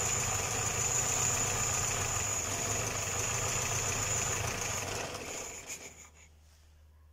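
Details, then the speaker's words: Homemade small tractor with a Škoda 1202 engine, first run after converting from a two-barrel to a single-barrel carburettor: steady running with a strong, constant high hiss until it shuts down; leak location unknown. "Já jsem jak malý dítě syčí to jo slyšeli jste to ono to tam někde Syčí"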